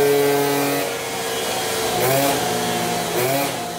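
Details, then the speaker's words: Zip scooter with Malossi 70 cast-iron kit on a dyno after ignition advance was increased mechanically (trimmed sensor strip): buzzy two-stroke sags in pitch under load then climbs; curve collapses and rpm drops, possibly lean carburation or the variator rollers. "On voit que la courbe se casse la gueule et on entend que le régime chute."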